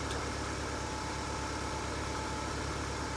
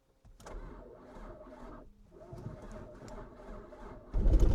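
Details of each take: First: Mercedes W203 running again: steady, even idle with smooth hum, no knocks, misses or ticking; spins nicely compared to last time; healthy idle. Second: Mercedes W203 started after sitting almost two years, little fuel added to canister, relays clicking: quiet clicking, then engine catches and runs up unevenly with rising, wavering drone; start after long storage.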